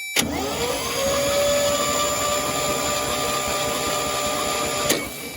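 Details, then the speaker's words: 1963 International Harvester Loadstar 1800 after 20+ years sitting, ATF put in the cylinders, starter jumped directly: a steady, even starter whirr turns the engine over freely with no catching or clunking, sounding healthy. "Well, it sounds like it's cranking over fine. Sounds healthy."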